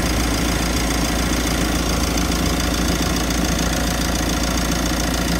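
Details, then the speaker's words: Mitsubishi L300 FB van with recently replaced, larger compressor: steady loud droning rumble at idle with AC on, rough labouring compressor noise; condenser too small, causing excessive high-side pressure; fix is replacing or adding condenser. "Yan talaga pong maliit' pag nagpalit tayo ng compressor either magpalit tayo nito o magdagdag yan. Kasi pag hindi tayo magpalit o magdagdag, hindi po titino ang aircon nati"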